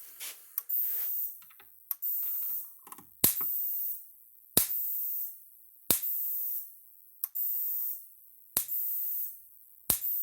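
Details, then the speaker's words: Maxim M5-50 electric fence energizer being repaired, switched on: sharp snapping clicks about every 1.3 seconds at steady beat, clicking as supposed to; normal pulse. "turn it on now let's clicking like it's supposed to"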